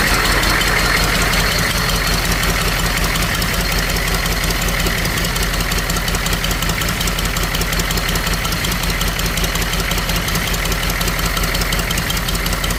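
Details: Humvee H1 6.2 diesel idling with the intake manifold off, after a fuel injection pump rebuild kit to fix a fuel leak; even clatter with a low rumble underneath, a smooth normal idle.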